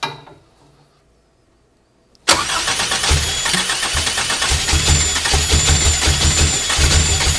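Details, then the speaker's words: Toyota 1AR-FE 2.7L (280-degree cams, stock otherwise) in MR2 Spyder, first start on Haltech Elite 1500 ECU, idle target 1500 rpm: fires after pause, runs lumpy and uneven; sync sounds right, owner suspects too lean. "okay well that noise sounded like i got lucky on the uh synchronization the uh i wasn't 360 degrees out of face um um smells like she wants more fuel"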